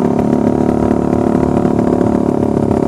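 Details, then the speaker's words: Suzuki Satria Fi150 with the O2 sensor disconnected, ridden at steady, somewhat faster speed: an even engine note with no stumbling or surging. Runs smoothly. "sih lumayan enak sahabat engak ada pengaruh apapun ini motornya pokoknya gak ada berebet-berebetan"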